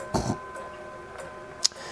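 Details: German Mauthe box clock (1946 case) with a 4-rod hour and half-hour strike, movement and case fully refurbished: crisp, even, unhurried ticking in a quiet room with no rattle or drag, a healthy movement.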